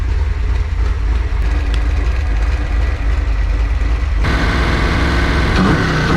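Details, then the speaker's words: Freshly built Ford 408 stroker small block Windsor on break-in oil with ZDDP, heat-cycling before install: deep, loud, even rumble with lumpy cam rhythm and clean rise partway; sounds mean and healthy. "So that's where we're at least it finally runs after 9 years. It sounds really mean, and you saw in the video the surprise face of Grandpa."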